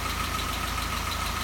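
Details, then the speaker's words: Restored 1942 Ford GPW jeep with 6-volt system and an added starter solenoid, started with a little choke and one pump of gas. Even, slightly quick idle with a light regular tick over a low hum, set high for winter: normal fast idle. "one pump of the gas see if it'll start got the idol a little high because it's winter fun and we'd rather have it I defined"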